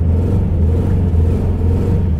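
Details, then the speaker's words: BMW E36 with LS swap: deep, uneven rumble with lumpy, stumbling pulses, running rough as if on one cylinder, plus a bad-sounding noise; misfire. "thing runs rough it's running on like one cylinder oh so oh that noise isn't good this thing's confused"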